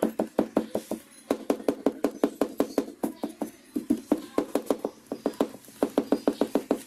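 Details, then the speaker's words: Yamaha Mio i125 scooter running; intermittent bursts of light plastic taps and vibration come from the side leg shield, which is rattling on a worn mounting rubber. "So nakita niyo mga paps ah paminsan-minsan lumalabas yung tunog niya minsan naman hindi so Napansin ko yung tunog na yan at yung vibrate na yan nanggagaling yan dito dito sa side na'"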